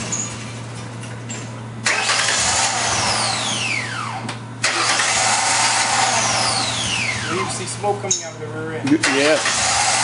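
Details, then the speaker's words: Engine started right after throttle body cleaning, cleaner chemical still in intake: runs uneven and lumpy with ragged exhaust note; rough running from throttle body cleaner burning off. "now this is how it's gonna sound it's gonna sound like a piece of junk when we crank it up okay"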